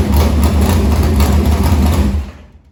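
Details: Harris race car's Morgan Machine-built open V8 (speaker thinks ~358 ci) with EQ heads, Edelbrock Victor Jr two-barrel intake and 85 carburetor, started after fuel line was reconnected; deep, even rumble with a crisp blip, then shutoff, normal idle.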